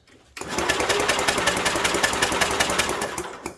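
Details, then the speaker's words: 1967 Unico 7hp tractor, idle 27 years, belt-driven starter-generator cranking after carb rebuild and oil in cylinder: steady brisk spin with even compression pulses, no drag or grinding; "rolls over beautifully"; normal cranking. "Oh yeah. Rolls over beautifully. I'll tell you, that is nice."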